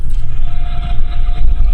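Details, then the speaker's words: Ford Explorer on a lift, heard through chassis-ear channel four on the rear differential: a thin steady whine above heavy rumble under throttle that goes away off throttle; rear differential gear whine. "from the differential I don't know if you can hear that and then when I let off it goes away which is the same as the noise so we know number four is on the rear diff"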